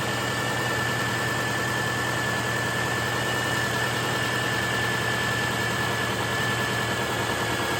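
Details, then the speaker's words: 2008 Subaru Forester after replacing a failed alternator: steady, even idle with a faint constant high whine over the engine hum and no flutter or dips; charging normally again. "And look at there. Charging once again, so we'll let this run, charge our battery on up, and see if our check engine light throws"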